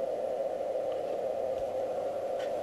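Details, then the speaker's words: ICOM HF receiver on the 80 m band: steady raspy hiss with no signal; power-line noise that returned the morning after rain stopped, seems tied to rain, and is partly removed by the noise blanker. "Okay, this is the next morning, and the rain has stopped and the noise is back. This does seem to be tied to rain."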